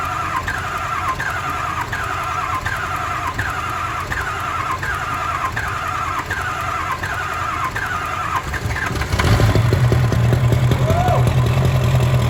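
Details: Diesel mega mud truck first start after rolling into a pond, oil added to cylinders to restore compression: slow cranking with even chirp about twice a second for nine seconds, then catches and settles into a deep steady idle; normal.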